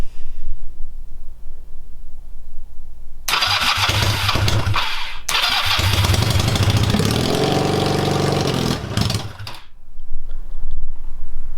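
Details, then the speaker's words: Honda CB250 scrambler build, first start-up with no fuel tank fitted. Catches after a few seconds and runs unevenly for about six seconds on leftover carburettor fuel, then dies. Engine start and brief running. "that's a start it was early burning up the fuel in the car because obviously there's no tank on there"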